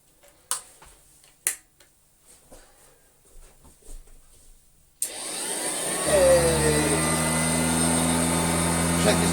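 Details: Vintage Hoover Junior 119 vacuum cleaner test-run after mains cable replacement: quiet handling clicks, then the motor switches on and spins up to a steady, even hum with no grinding or rattle; normal running.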